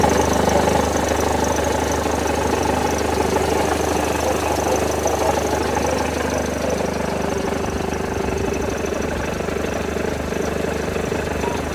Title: Mercedes Benz W211 E200 Kompressor Engine Knocking Sound